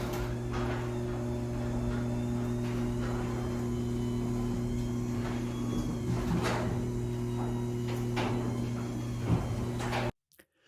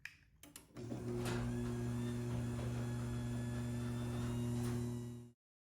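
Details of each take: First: Garage door after converting to a belt-drive opener but before other quieting steps: steady low motor hum as door opens, with intermittent creaks and groans from the door itself. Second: Garage door after quieting work including switching to a belt drive opener: a few clicks then smooth steady motor hum with low drone, running quietly compared with the loud door before.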